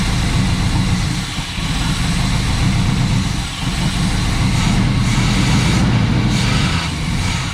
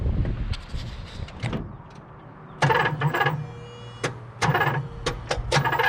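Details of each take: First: 1978 Pontiac Trans Am 400 V8 four-speed, first start in years after retarding distributor timing: deep even idle rumble with no knocks, misses or rattles, then winds down and stops; seems a good motor. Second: 1978 Pontiac Trans Am 400 four-speed, first start in years on a squirt of gas down the carb: uneven cranking with a couple of funky cylinders, then loud pops and bursts as it coughs back through the carb. Timing over-advanced; less timing at the distributor fixed it.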